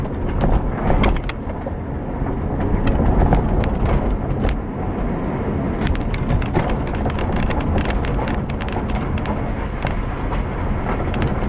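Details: Road test of 2007 Subaru Outback after replacing the failed left rear upper strut mount, microphone in the rear by the upper strut mount: steady road rumble, light interior ticks from a quarter panel piece, no clunks over bumps; suspension now quiet.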